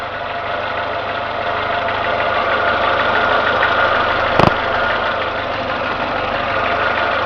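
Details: Renault Logan engine, warm idle: light, fairly quick tapping knock over the engine note; appears once warmed to two gauge divisions, absent when cold; cause unknown, owner asks what could be knocking.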